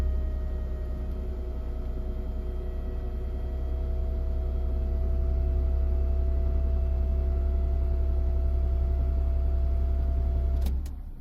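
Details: BMW E39 Touring, 2003 525iT or 2002 520iT: steady, even whine over a low constant hum, no change in speed; suspected fuel pump near the end of its life, not confirmed.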